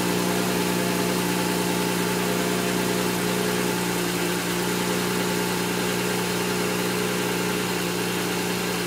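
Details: N54 engine misfiring at idle, logged with an IPNA video log: the idle runs uneven and lumpy with an irregular stumble and skipped exhaust pulses. The cause of the misfire is not yet found.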